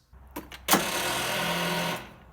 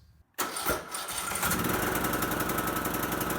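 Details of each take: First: Craftsman T1400 42" lawn tractor, 17.5hp Briggs & Stratton, starting attempt: about a second of labored starter whir dying away without the engine catching; slow crank from poor battery ground contact on painted frame, not the solenoid. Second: Craftsman T1400 lawn tractor, 17.5hp Briggs & Stratton, after sanding paint off under the battery ground cable to cure weak crank/no start: brief quiet, then strong crank that catches straight away into a steady, even run.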